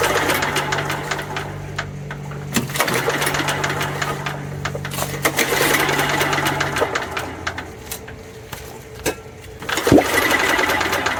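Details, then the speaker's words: Old Homelite 3500W generator with a broken carburetor (missing float pin, no needle) and a badly rusted tank: rapid pull-start whirring, about four tugs a second, never firing. No compression is felt, though the piston moves; stuck valve. "I'm not feeling any compression out of this engine. So, I'm going to have to check for compression."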